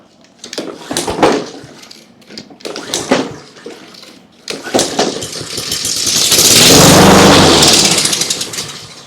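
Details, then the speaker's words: Trash-picked Honda HRX217 (HRX217TDA) self-propelled mower, engine possibly a GCV160 or GCV190, first start after spraying two-stroke mix into the carb: a few pulls on the failing recoil, then it catches and runs steadily before fading; engine starts and runs. "okay so the engine's a runner that's cool I think our next step is going to be tackling that recoil it's kind of a pain in the neck to start the way it is"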